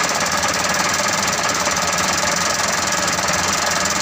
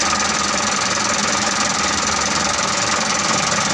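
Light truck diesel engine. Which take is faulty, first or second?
first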